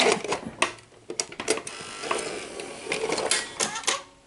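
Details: Sanyo 6800 Betamax VCR after circuit-board capacitor replacement, loading and playing a tape; crisp mechanical clicks and short whirs as the cassette threads and starts playing: transport sounds healthy, normal tape load and play.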